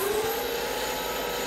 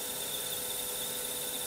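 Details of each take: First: Lathe turning sintered tungsten carbide (a reduced end-mill shank) with a CBN insert at 0.03 mm/rev feed and 0.1 mm diameter reduction. First cut gives a steady, even hiss with no chatter or squeal; normal cutting sound. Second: Lathe turning tungsten carbide with a CBN insert at 0.3 mm diameter reduction: thin high whine with brief shrill squeaks, insert at machine's depth-of-cut limit, or possibly insert worn.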